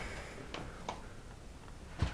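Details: LG 50PC1DA 50-inch plasma, power button pressed: the relay clicks on, then a single click off, with no hum; it never powers up. Symptom unchanged with Y-sus and Z-sus boards disconnected; IPM failure suspected; cause unconfirmed.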